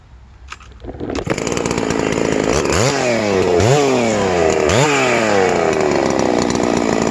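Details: Ported Hypo 660 build chainsaw with added third muffler port, about to cut a roughly 18-inch, pretty dry log: fires on the first drop start, three quick blips to a crisp high scream, settling cleanly; strong and healthy.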